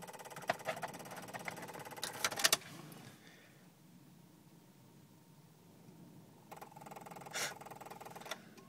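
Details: Jeep WJ that won't start: two bursts of fast, even electrical ticking and buzzing with no engine running, continuing after the key was removed and stopping when the brakes are pressed. An electrical fault of unknown cause.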